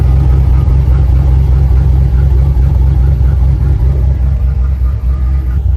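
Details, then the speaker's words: 2008 Silverado with stock exhaust manifolds, a new Y-pipe and catalytic converter, and a custom 3-inch exhaust with a chambered muffler. A deep, even V8 rumble at a steady cold-start idle with no ticks, knocks or misses, a healthy engine with a throaty note. "we're going to do a little cold start on it right now and you guys tell me what you think I think it sounds pretty good"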